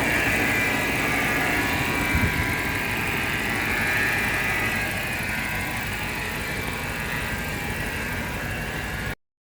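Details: BMW X5 4.8i N62 V8; over a steady idle a thin high moan, whining or meowing, hangs above the engine, strongest early and easing off; source unclear; whining noise at idle.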